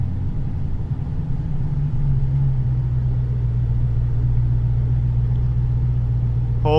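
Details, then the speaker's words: Dodge Challenger 426 fully forged Hemi with 3.0 L Whipple supercharger, 1000tq clutch, lightweight flywheel, in 1st gear at idle after a tune change: deep lumpy rumble barely holding, sagging as if about to stall; pulling now, but more idle power needed. "It's actually pulling now. So, what that tells me is we're going in the right direction. I want more, though. Like right now, we're like right on the edge of like stalling out."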